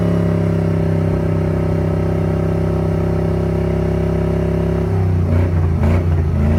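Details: Toyota 1UZ V8 after sitting a few years, running on 10:1 fuel/auto trans oil to flush suspected stale-fuel-blocked injectors: lumpy loping idle then short rev-up; better but still missing on two cylinders, later clears up.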